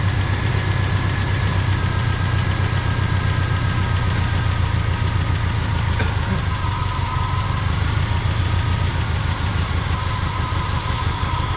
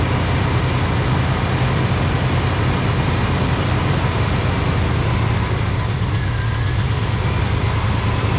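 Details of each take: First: 1985 Pontiac Trans Am V8, 34,000 miles, sitting since 1998, running on a refilled carburetor bowl. Idles low and rough with no real throttle response, starving for fuel. Owner suspects a stuck carburetor float from long storage. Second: 1985 Pontiac Trans Am V8, 34,000 miles, parked since 1998, with a sticky carburetor. Steady, deep, even rumble with no misses, knocks or ticks; idles smoothly and sounds healthy.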